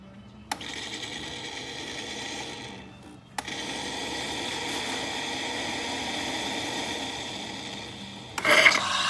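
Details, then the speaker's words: Saeco Xprelia Evo espresso machine after service (broken door hinge replaced, grinding/scraping noise fixed), running the carafe hot-milk function with water: a click, then a steady, even pump hum drawing liquid with no rattle; normal pump operation. "There we go. Water level is decreasing ever so slightly, showing that it's working, pump's working well inside the can."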